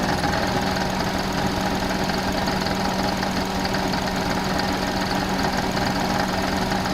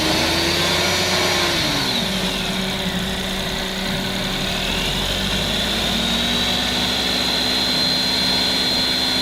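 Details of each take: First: Suzuki Alto at idle: steady continuous light rattle with thin whine, louder with rpm; alternator wobbling and not running true on a damaged lower mount, worse under load when air conditioning cycles. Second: Suzuki Alto after fixing rattle at idle growing louder with rpm, traced to alternator area and damaged bolt, replaced and refitted: petrol engine idles, revs and settles smoothly with no rattle; noise gone.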